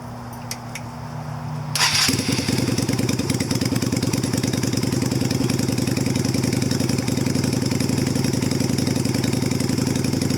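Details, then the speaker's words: 2000 Yamaha Virago 250 (XV250) with cut slide spring but stock undrilled slide diaphragm: starts readily and settles into an even, steady thump about four beats a second; idle restored after removing the drilled-hole mod. "So no hole drilled, and watch how good the bike idles now."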